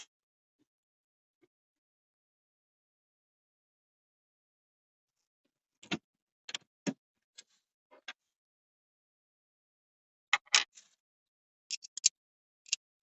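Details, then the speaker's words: 2005 Opel Vectra C, ignition on, behind dash under passenger airbag: sharp dry clicks in short irregular bursts, nothing else running; recirculation flap actuator clicking, suspected stripped gear. "Evet şu an tık tık yaptı Umarım sessize gelmiştir sürekli tık tık tık tık yapıp duruyor"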